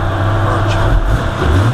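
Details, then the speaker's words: Jeep Cherokee XJ 4.0 after a throttle body adjustment fixing high, erratic idle: short stretch of low, even rumble with no surging or hunting. Idle is settled and normal. "see how beautiful it is okay nice and civilized hidden Idol was shaken up nice and stabilized just by adjusting myths"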